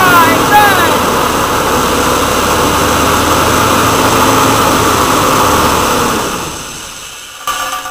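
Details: Woodgas-fuelled truck with its gas mixer valve worked by hand instead of the jittery Arduino servo that let the valve be sucked open, leaning the mixture and stalling: fairly even beat around four pulses a second under a steady rushing noise, then dies away.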